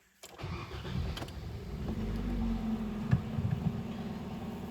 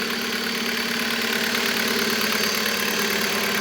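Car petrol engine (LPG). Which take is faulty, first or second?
second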